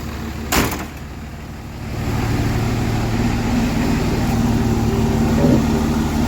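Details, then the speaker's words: Cummins diesel with 48RE transmission after retightening hand-tight injector tubes and changing fuel filter, fuel primed: steady clatter settling into an even idle, running smoother though not yet proven cured. "Sounds like it's idling smoother."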